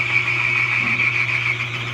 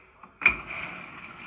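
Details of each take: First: Older Frigidaire stackable washer/dryer: steady, high bird-like chirp over a low motor hum, heard only in the wash and spin cycles, not while filling or draining, from a worn washer drive belt; the fix is a replacement belt. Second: Older Frigidaire stackable washer after repair for bird-chirping noise in wash/spin cycles, drive belt replaced: click as dial turns, then steady soft hiss, no chirp; nice and quiet.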